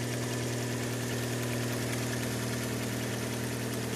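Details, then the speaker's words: Fiat Albea, cold engine just after start: rapid light ticking about three per second over idle, lasting up to a minute or until warm; traced to a loose exhaust manifold, fixed by retightening it. "появилась такая проблема заведешь машину идет какой-то стук какое-то время у минуты может быть не всегда правда бывает"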